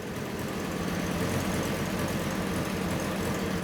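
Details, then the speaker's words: Fiat Coupe at idle after the air filter was put back on; a steady, even low rumble with no skip in the rhythm. The misfire that was blamed on the air filter is gone. "How's the air filter fixed it? Yeah, it has. It's gone off. Shit air filter, mate."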